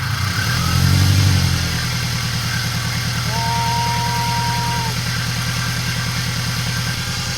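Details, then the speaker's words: Subaru BRZ after a rebuild of a badly damaged engine, first start: a brief blip, then a steady even idle with no knocks or ticks. An earlier noise was possibly timing chain settling or the tensioner; it now runs normally. "right boys and girls the car is on we are good no weird noises I guess that was just a chain like settling or something or it could be the tensioner but we are good"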